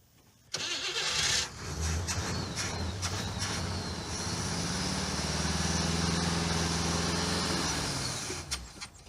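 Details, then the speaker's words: '77 Cadillac Eldorado carbureted engine with a small electric fuel pump, hose primed: the starter cranks evenly for several seconds at about three pulses a second and never catches. The pump isn't lifting fuel, so there is no pressure or flow: crank, no start. "The fuel pump isn't picking up. Yeah. I think when we left this car, it ran. I do remember hearing an engine make noise. I don't know. We got no fuel system."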